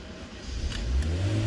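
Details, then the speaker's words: Honda Brio, scan tool reading engine speed: engine catches, revs to about 3,000 then 2,000 rpm, sags and dies right after start; intake air temperature steady at 41°C, idle target odd; cause not confirmed. "Oke mau baca ya sama dengan dipido e sekitar 3.000 2.000 terus mati"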